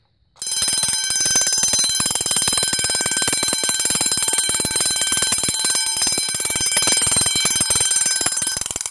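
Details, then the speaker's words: Vintage Vulcan Autosonic Mk. 30-A (VA-M-30FT) mechanical windup heat detector bell set off with its test button: loud, rapid, steady metallic clanging about four strikes a second; rings properly. "yeah it's pretty loud definitely get your attention if the thing goes off"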